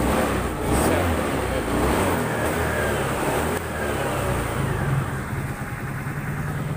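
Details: Honda Scoopy FI that flashed MIL code 7 (EOT engine oil temperature sensor), after resoldering the EOT sensor socket and kick-starting: picks up cleanly on the throttle and settles back smoothly, no stumble. Normal revving after repair.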